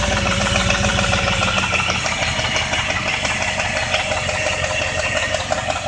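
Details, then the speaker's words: 2001 Jeep Grand Cherokee 4.7 V8 at idle, after dying at a red light and being towed: a fast, slightly uneven light tick that speeds up with revs. The owner wonders whether it is a lifter, flywheel, timing chain or rod knock (unconfirmed). "I need help to know if this is a redneck lifter or a flywheel or a timing chain now all you guys listen to this and tell me for yourself it's quiet guys hear that tickin you know what it is speeds up to"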